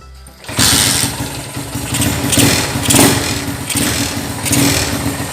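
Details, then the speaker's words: Honda GL100 motorcycle with Grand AC CDI and newly wired 4-wire AC ignition switch, turned to the on position: engine catches after a brief crank and settles into an even single-cylinder idle. A healthy start and run. "ini sudah nyala Oke seperti itu teman-teman"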